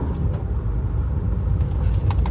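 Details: 20-year-old motorhome just after a new battery was fitted, where the old one needed repeated jump starts: a low, even diesel idle with a steady rumble and no knocks or misses. The engine starts and runs healthy.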